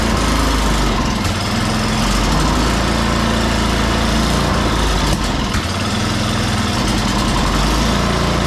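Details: Free salvaged snow blower, oil checked and tires filled, plugged-in electric start after priming; small single-cylinder engine chugging at steady fast even beat; normal running.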